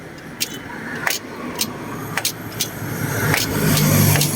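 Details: Honda Wave 125i LED motorcycle idling with sharp metallic clunks on engaging gear, blamed on an over-tight clutch adjustment grooving the inner bearing; the fix is loosening and readjusting the clutch.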